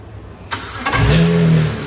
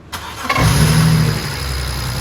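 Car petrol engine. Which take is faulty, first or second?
second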